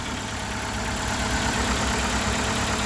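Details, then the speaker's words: 2001 Ford Escort ZX2 warming up, not yet at operating temperature, no smoke: even, steady idle with a smooth low rumble and no knocks or misses. Normal idle. "getting warmer. She's idling well. She's not smoking yet. Of course, she's not up to temp."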